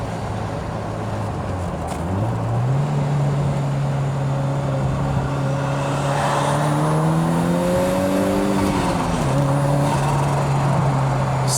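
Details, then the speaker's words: 1983 Lotus Esprit turbo, possibly modified, under full throttle at boost: engine note climbs smoothly and pulls cleanly with no misfire, knock or rattle; idle fine after harsh throttle, oil noted on exhaust manifold; healthy turbo engine. "Sounds and feels great. Very healthy."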